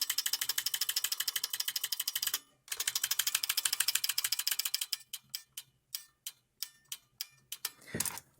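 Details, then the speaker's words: Brand New Model F buckling-spring keyboard key not working: fast sharp click bursts then single presses with dull uneven snap; spring not buckling, fix is to gently pull spring and reinsert key; poorly seated buckling spring. "So that's actually not in the manual, but if you do fuck it up and the spring isn't, and the spring doesn't sound like it's being buckled, then yeah, you need to reinsert that key."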